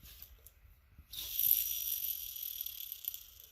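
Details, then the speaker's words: 1982 Yamaha YZ490 crank bearing, loose, spun by hand with engine apart: dry, gritty, crunchy rasp with uneven roughness instead of a smooth whirr; worn bearing, replaced. "You can hear that, it was very crunchy and grindy."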